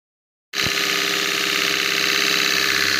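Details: Stone flour mill (chakki) after motor bearing change, drawing 2.7–2.8 A: single thump at start-up, then steady even hum with bright grinding hiss, no knock or rattle; running healthy.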